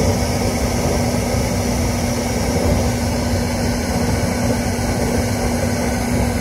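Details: Newly installed gas burner on its first fire-up after the ground screw was done: it sparks, then settles into a steady, even roar with a low constant hum, burning smoothly without popping or flutter. Normal burner operation.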